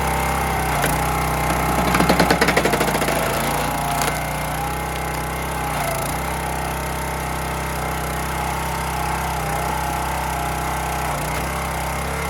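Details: County Line 25-ton log splitter single-cylinder engine, fuel replaced, splitting vertically: steady drone with brief rattly patch as wood splits, then settles evenly; holds speed under load.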